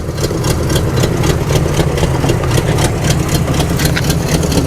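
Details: 1987 Chevrolet Monte Carlo SS V8, started after sitting about 20 years, holds a steady healthy idle, even thumping about four beats a second, no knocks or squeals; power steering working.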